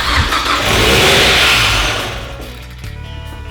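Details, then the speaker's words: 2007 Mazda Miata with swapped 2.5 engine, first start on open header: cranks, flares straight to wide-open revs, then dies quickly; suspected vacuum leak from unmetered air. "cranks up and dives yep it just goes wide open throttle and cuts off must be another vacuum leak"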